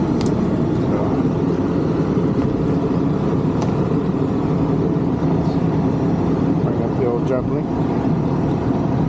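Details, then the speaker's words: Condenser of a 1986 Rheem AC (about 37 years old) that was barely blowing air, running after a fan motor change (about 1.2 A) to dry soaked coils: steady, even hum and fan rush, no knocks, rattles or squeals; normal running. "let's let it run here for a little bit and dry out because the coils are soaked check back here in a couple minutes and see how it looks"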